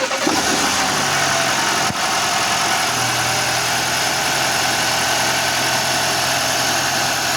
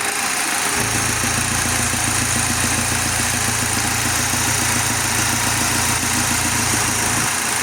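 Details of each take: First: 2023 Audi Q5, 2.0 TFSI (DPU) engine at 15,000 km, after replacing a failed PCV valve and correcting camshaft cover bolt torque: even, steady idle with no stumble or hunting; stable crankcase pressure, now leak-free. Normal idle. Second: 2023 Audi Q5 2.0 TFSI (DPU) petrol engine at 15,000 km, idling: the low hum shifts in pitch and steadiness when the oil filler cap is opened, from a failed PCV valve giving incorrect crankcase pressure and oil leaks.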